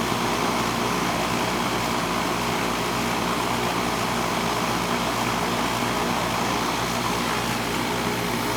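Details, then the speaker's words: Central AC condenser running on R22 refrigerant, about 75°F outside, system not cooling like it used to: loud, steady fan roar over constant compressor hum, unusually noisy, cause not yet pinned down. "Well, that's a noisy bugger. It's on R22 there."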